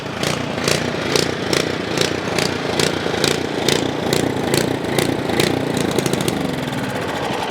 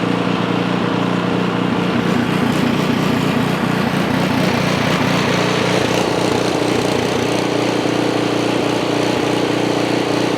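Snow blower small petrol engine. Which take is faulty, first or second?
first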